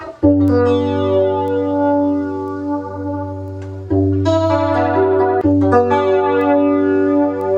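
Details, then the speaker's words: Ibanez FL-9 flanger pedal before repair: guitar through the pedal sweeps unevenly, and the delay-time control seems to change the sweep speed instead. Potentiometers found mismatched (mirror-imaged), with a loose wire also found. "It sounds like there's some flanging. Okay, let's look at these controls here. It's weird. That sounds like it's controlling speed more than the delay time."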